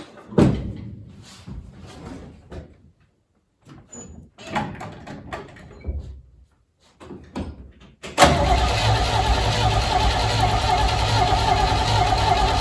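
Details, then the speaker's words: 1968 Chevy C-10, 307 V8 sat about 30 years, previously freed up: short cranking bursts then a long steady crank that never keeps running; fuel pump confirmed delivering dirty fuel, so carburetor suspected, not confirmed. "Oh yeah, we definitely got fuel in there. So she's definitely pumping fuel, so the problem's likely in the carb here."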